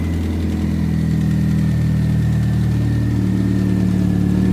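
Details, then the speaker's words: Chevy Optra 2.0L, sat over a year, booster-pack start after alternator repair: smooth steady idle, no whining, belt good, alternator quiet; exhaust leak still present, to be fixed next. "Should have no winding sound on this. Yeah, not bad. Got no winding sound anymore. That's quiet."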